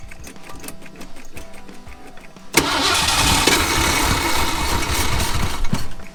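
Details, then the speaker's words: Ford F100 bullnose V8 sitting outdoors 11 years, fuel poured down the carburetor: slow even cranking about three and a half turns a second, catches briefly and roars; cranks but won't run, in-tank fuel pump found not working, fuel putrid. "it's not pumping enough fuel out of a carburetor after a lot of mucking around and diagnosing and testing check this out guys turns out that the in-tank fuel pump is not working"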